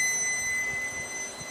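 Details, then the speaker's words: 2005 Pontiac Grand Prix, ABS codes C0041/C0245, right front wheel speed sensor wire tested pins 4 and 5 to disconnected brake module, meter on ohms with beeper: steady unbroken beep shows continuity before the suspected break is wiggled. "I've got the meter on ohms, and I've set the beeper. Right now I've got dead short."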